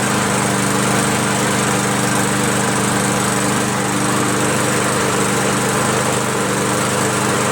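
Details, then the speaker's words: Free MTD push mower with a Harbor Freight Predator engine, muffler reattached and a throttle cable added in place of the missing bail cable: steady, even single-cylinder buzz with no misses or surging. Runs nice; normal running. "This is slow. This should be man. Runs nice."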